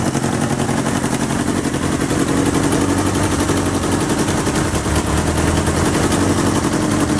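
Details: 1977 Kawasaki KZ650/Z650 B1 four-cylinder, air screws 2¼ turns out (manual says 1½), second-hand starter fitted; choppy, uneven idle with irregular popping and lumpy firing, one exhaust seemingly blowing; four carbs still need syncing.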